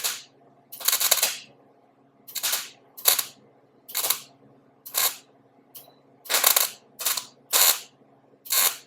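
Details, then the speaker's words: MIG welder set very low, welding a VW headlight into thin sheet-metal fender: short bursts of sharp popping crackle from a cold weld adding material without burning through; it welds better once the metal heats up. "you can hear that welder popping back because it's a cold weld trying to just add material without burning through because it's sheet metal"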